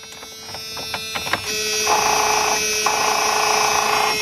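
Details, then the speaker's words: 2000 Dodge Ram Van 1500 3.9 that clicks but won't crank; with a temporary ground cable removed: a few sharp clicks then a steady electrical buzz, no cranking. With the temporary ground it started, confirming a bad engine ground. "clicks alright so we know we got a bed ground so now the weird part about it I check the ground the other way but I guess it's still not good"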